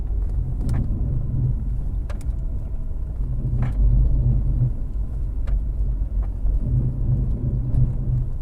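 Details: 2008 Subaru Outback, recorded inside the moving car: heavy low grinding rumble swelling in waves, very bad on left turns, from a badly worn front wheel bearing, before replacement.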